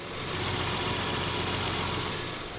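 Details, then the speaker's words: Nissan Stagea RB25 idling after a drive, roughly 100 km from the destination: a busy metallic rattle rides over a steady idle, coming and going. It is definitely the engine; the owner hopes it's the top end but fears worse, unconfirmed. "the engines just started to rattle do you reckon we'll like get to your place or not"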